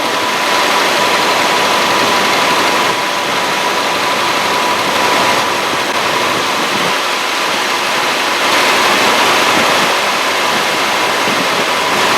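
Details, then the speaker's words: 1965 Mustang carbureted V8, 20 years in storage, freshly rebuilt carburetor with accelerator pump adjusted, idling before warm-up: steady, even idle, constant rush, no misses, knocks or ticks; lifters quieting down, running healthy. "oh I know it's for future for future information that sounds pretty damn good blisters are quieting down too"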